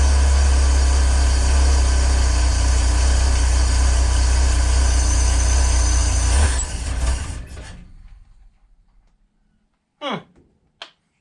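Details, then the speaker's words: 1965 Ford Econoline van stored since 2011, float bowl refilled by hand, carburettor base gasket seeping: engine idles evenly about six seconds, then sags and dies as the bowl runs dry; owner suspects nothing is coming up from the tank. "what does that sound oh did it just run dry [Music] yeah okay so that was just the float Bowl so we were correct and assuming that nothing was coming up from the tank"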